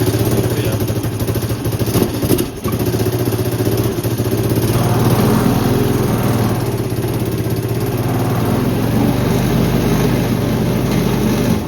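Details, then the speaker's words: First startup after swapping a 1985 Honda Elite CH250 engine into a 1984 Elite 125: loud, raspy single-cylinder run with a sharp exhaust chuff over the idle beat, caused by an exhaust manifold leak. "So, I don't know if you heard, but in that startup, my exhaust was pretty loud. So, I have that exhaust manifold leak."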